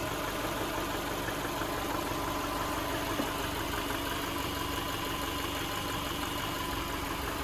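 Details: 2011 Subaru Impreza, rebuilt EJ253 non-AVLS block with AVLS heads after rod bearing failure, running after rebuild: even, steady idle with a smooth unbroken hum, no knocks or ticks, no leaks. Normal idle.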